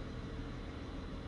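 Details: BMW F01 740Li twin-turbo petrol with an intermittent misfire (cold or hot, in gear), warm at about 70 degrees after roughly 15 minutes: smooth, even idle, steady low rumble, no stumble or skipped beats.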